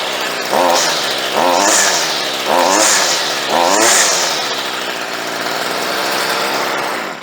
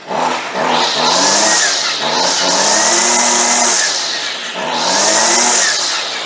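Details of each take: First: Stihl 55R two-stroke trimmer, probably unrun for two to three years, after carburetor low- and high-speed screw adjustment and idle turned down: four throttle blips, then a steady, even normal idle; now starts much better. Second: Stihl 55R/55RC weed eater, unused for a long time, just cold-started on choke: revs rise and fall in a buzzy scream, hesitant off idle. Runs fairly well but wants more fuel on the low side; low screw, next to the motor, to be adjusted.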